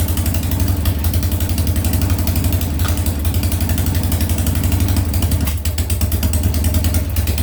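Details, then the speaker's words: Harley Sportster, first start after a top-end rebuild with new lifters, rings, cams and porting: loud idle with an uneven, lumpy beat and occasional stumbles; the rear cylinder misfires and runs cooler than the front, with the rear coil or the Ultima ignition suspected. "a little misfire on that coil there on the rear cylinder it's not burning hot like the front is have to swwa that coil out"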